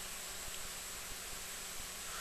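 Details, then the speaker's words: Duratool ZD-915 desoldering station after fan speed control upgrade: only soft steady hiss with faint hum, overloud cooling fan buzzing now barely audible. "now it's uh incredibly practical and quiet um I don't think you can even hear the buzzing now"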